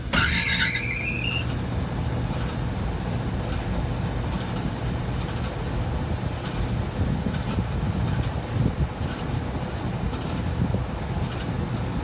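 A sharp, high squeal sweeps up and fades in the first second as the blower starts, then a steady rumble.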